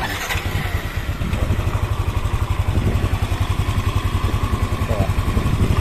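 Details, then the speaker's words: Yamaha NMAX scooter after top-end repair, tensioner hole and cylinder head covered, originally rough ticking suspected from cylinder head: smooth, even idle about three and a half beats per second with no valve-cover tapping; ticking gone, healthy idle. "Oke tuh suaranya Mantap banget kalau begini Jadi enggak ada suara tetap lagi ya aman"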